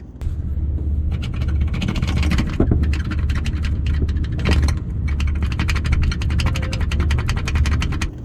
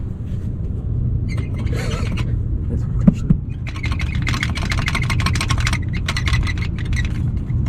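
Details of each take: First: 2022 Toyota 4Runner driving after splash guard modification fixed rattle first thought to be dashboard or headliner: steady low road rumble, faint ticks, no flapping or rattling; underbody quiet now. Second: 2022 Toyota 4Runner: loose front splash guard shaken, low rumble with bursts of fast, dry plastic rattling; this rattle is heard in the front seats like a dashboard noise, fixed by modifying the splash guard.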